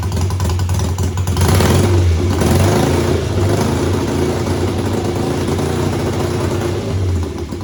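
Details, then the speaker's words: Home-built BSA twin chopper, stationary test revving each cylinder by its own carburetor slide, then both. A strong, even exhaust climbing and falling with throttle, no stumbles: both cylinders kept up. "Well, that didn't help. It seemed perfect. I revved both cylinders up individually and they both kept up, and then I revved it up together and they both kept up."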